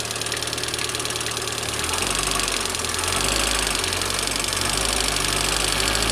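Idling petrol engine with a fast, light, uneven tapping near four a second riding over the hum; could be lifters but unconfirmed.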